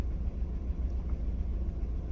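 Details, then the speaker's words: Mk4 VW Golf with juddering and MIL, misfire on cylinder 1 moved to cylinder 2 after swapping coil packs: lumpy stumbling idle with ECU light flashing; faulty coil-over-plug unit. "so i'm just gonna start the car back up again so the misfire is still there and we can see that the ecu light is flashing as expected"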